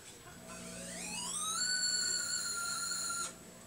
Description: This is what my heater sounds like when it turns on!